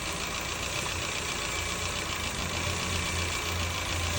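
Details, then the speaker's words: Petrol car with rough, shaking idle and poor acceleration, after reassembling the injectors and refitting the original coils in place of new ones: even, settled idle hum with a steady low beat and no stumble or shake. "ก็เดี๋ยวลองสตาร์ทดูครับอเครื่องเครื่องนิ่งเลยแล้วก็เดี๋ยวมาวัดดูคอยนะ"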